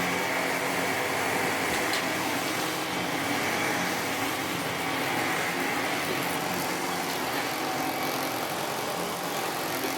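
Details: 1998 Sebo X1 upright vacuum, reportedly making a funny noise: constant motor whir with airflow hiss, steady pitch, no grinding, rattling or squealing; runs normally, though play in a part near the belt is later suspected as the noise source.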